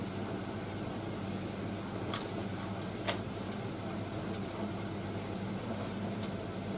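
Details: Indesit IS31V 3kg compact reversing tumble dryer running its first load with heat on; quiet, even hum with soft low drone and the odd light click, smooth drum rotation with no rubbing or knocking, running fine.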